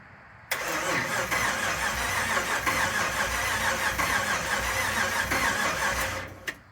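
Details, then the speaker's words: 1967 Ford F100 with a 5.7 Hemi fitted with Eagle heads and pistons, first start attempt, two cylinders with weak compression: sluggish uneven starter churning about six seconds that never catches; battery too low to even read RPM, needs a jump. "nope battery is too low it's not even reading RPM so we're gonna have to grab a truck and jump it"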